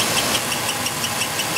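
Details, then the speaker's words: 2002 Ford Taurus at idle with cylinder 1 misfire (new plugs and wires, likely coil): sharp high chirps about six times a second from the worn cam sensor synchronizer distributor shaft. "again sorry about the squeaking in the video here that's that cam sensor synchronizer distributor shaft is worn"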